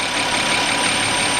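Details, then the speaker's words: 2007 Audi Q7 3.6 with power loss and codes including P0430 and P2401: a thin, steady whistle at warm idle that appears at 63°C, grows by 65°C and does not rise with rpm. The suspected cause is a torn crankcase breather (PCV) diaphragm in the valve cover. "вот при температуре 63 градуса легкий свист появился при 64 сильнее при 65 уже вот этот Явный слышно и он еще немножко увеличится"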